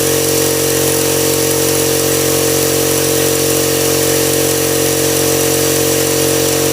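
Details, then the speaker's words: Husky 5-gallon air compressor that previously ran without cutting off; after a pressure switch replacement it gives a steady, even motor hum and pump drone with no knocks or surges, running normally. "so that's fix cheap compressor got fixed and this is what it is five gallon"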